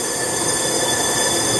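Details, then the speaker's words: Volkswagen Passat engine, head reassembled after cam gear hammered on, air hose into number two cylinder: steady hiss of air escaping through the intake; intake valves found bent. "get the air hose see if I can without knocking everything over oh yeah we've actually got air coming out this hole"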